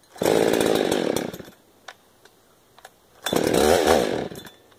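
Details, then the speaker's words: 372 chainsaw that would barely start and died after choking: two ragged, uneven revving bursts, engine dropping back unsteadily; carburetor issue suspected, possibly crud inside, may need to come apart again. "sounds like carburation issue i might have to tear the car back apart rebuilt it"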